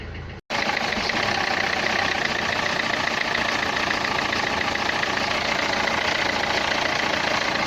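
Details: Renault Clio 3 1.5 dCi 105 hp diesel at idle: a fast, uneven ticking clatter on top, described as a sound in the injectors; the cause is suspected, not confirmed.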